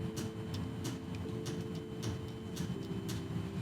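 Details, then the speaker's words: Shift solenoid from a Subaru 5EAT automatic transmission, bench-tested on 9-volt battery leads before cleaning. Sharp, irregular clicks about every half second over a low hum, with little plunger movement; the solenoid is sticking. "so with that tester I can hear it click in and out but I'm not seeing a whole lot of movement from it"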